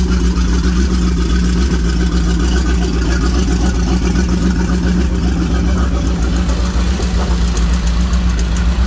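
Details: 1987 Powerplay XLT-185 boat, Mercruiser 350 V8 converted from Rochester Quadrajet to Holley Sniper EFI, still learning, fuel pressure about 50 to 53 psi at idle: deep, steady idle with an even beat and no misses or knocks; running smoothly.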